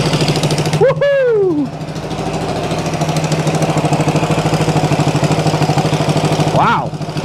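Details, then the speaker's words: 1974 Honda CB360 built from parts bikes, first start: twin idles with sharp, rapid ticking chuff on every exhaust pulse, louder on throttle blips; a big exhaust leak, engine also smoking, assumed from oil and gas. "all right we can can bet on an exhaust leak already sounds like she's snapping up here let uh oh yeah oh yeah we got a big exhaust week"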